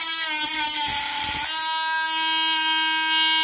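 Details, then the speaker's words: Parkside PFBS12B3 cordless precision grinder-drill cutting plastic cable trunking, switched from setting 5 to max; lower settings cut poorly. High steady whine, a brief gritty rasp as it bites the plastic, then a clean even tone; normal cutting at full speed. "On va le mettre au max pour voir. Ah, c'est vrai qu'au max c'est pas mal quand"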